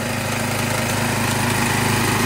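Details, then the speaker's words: Restored saw engine started with the choke, oil checked and clean: after it smooths out, short stretch of smooth, even buzzing idle with steady pitch and no misses. Starts right up and runs good, with a little smoke at first start. "Runs good. Runs really good. Sounds good. Well, she starts right up."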